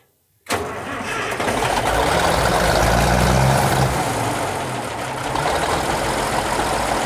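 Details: Minneapolis Moline G1000 tractor after cylinders were bored and machined, start-up, possibly not yet warmed up: cranks and catches at once, then settles into a steady, even idle with no knocks or misses; normal start-up and idle.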